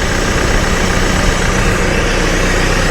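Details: Cat TL1055C telehandler diesel after turbo replacement, run for a while and warm, no oil leaking from turbo; smooth even low idle, no misses, rattles or turbo whistle; normal idle.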